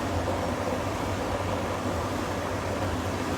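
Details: Beko heat pump tumble dryer that only hummed and needed a shove to spin, after repair and capacitor checks; steady even whir from motor and fan, drum turning smoothly, no scraping or knocking: normal drum spin.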